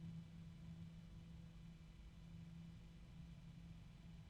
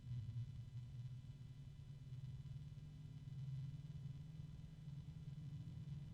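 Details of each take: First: Corsair PC case fan compared with a Noctua fan: faint steady low hum with a constant tone near 180 Hz, lower pitch, no grinding; odd fan drone, bearings suspected but unconfirmed. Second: Corsair SP RGB Elite case fan running with a soft, steady low hum and no ticking, rattle or wobble. Not terribly loud, quieter than the ML120. Normal fan running noise.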